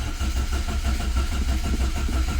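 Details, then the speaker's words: Carburetted Renault 5, unstarted for two weeks, started on full choke: low lumpy beat picks up and settles to steady idle once fuel is pumped up; owner suspects faulty fuel sender. "Come on. There she goes. Just gotta get the fuel up. Because it's carburetted and I haven't started it for 2 weeks, you gotta get the fuel up."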